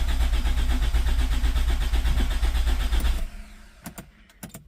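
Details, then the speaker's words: 2007 Toyota RAV4 with hard starting, rough running, stalling, multiple circuit fault codes and no throttle response; check engine light on, steady rhythmic cranking about 2.5 beats per second, then stops without catching; wiring harness fault suspected as shaking it affects fan. "check engine light is still on and the vehicle did crank over but it did not"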